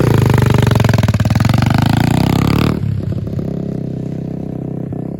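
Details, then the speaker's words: Apollo RFZ 125 pit bike, probably about three hours of use, after fitting a knock-off Mikuni carburetor with reused air filter: single cylinder catches, blips up briefly, then steady even idle with no misfire or stumble; running good. "now all right she's running good"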